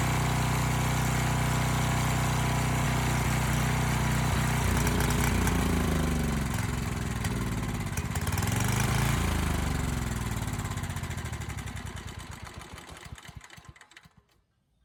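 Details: Abandoned Powermate generator with no AVR, running with no load: steady, even low hum with no hunting or misses, then it winds down and stops; voltage brought down from about 135 V to 130 V; normal idle.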